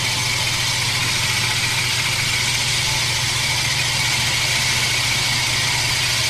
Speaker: you can hear how it's not grinding quite as heavy anymore we'll put a little more on it's like un coach seen it wore out the compound and that's doing the same thing on this one